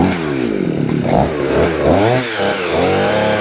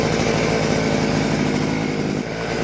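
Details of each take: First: Vevor 6-in-1 multi-tool two-stroke with hedge trimmer attachment, after freeing stuck blades and greasing: revs up, holds steady high buzz, drops and revs again smoothly; working fine. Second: Vevor two-stroke hedge trimmer, choked and started, under throttle: the small engine buzzes steadily but there is no cutter chatter because the blades won't move; jammed, suspected at the gear housing.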